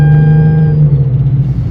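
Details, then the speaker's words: Hyundai Genesis Coupe 3.5L on road test after custom muffler with dual split tips replaced a loud hack job; deep, even, throaty but restrained exhaust drone, no rasp or rattle, power retained; normal exhaust note. "oh she sounds good he's going to be happy he still got that nice little 30y feeling to it but it's not overwhelming"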